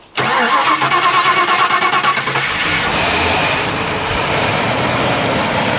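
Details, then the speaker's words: Rusted donor car's 5.0-litre fuel-injected Windsor 302 V8, cold start; a battery had been fitted the day before. The starter cranks about two seconds, then the engine settles into a steady, even idle with no knocks. Healthy, normal cold start. "yeah so there's the motor um sounds a rock so it goes all right"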